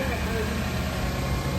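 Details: Car jump-started from a dead battery with a Yesper X1 jump starter using boost mode: steady even low rumble at idle, no stumble, misfire or clatter; engine running smoothly.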